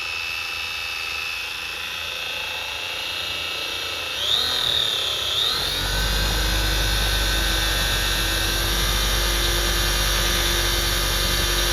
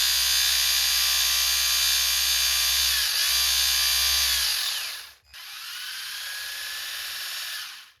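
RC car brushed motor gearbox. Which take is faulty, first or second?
second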